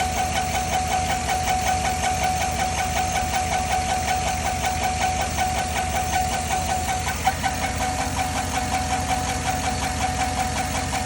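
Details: 2010 Chevy at idle: steady fast ticking near three per second over an even idle, top-end tick; owner suspects lifters, not confirmed.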